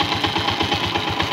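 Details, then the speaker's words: Single-cylinder motorcycle after valve rocker clearance adjustment: steady even idle beats about eight a second, valve tapping no longer loud, idle stable; normal idle. "quiero que escuchen el sonido ya no suena muy fuerte tac tac tac tac tac y el mínimo está parejo"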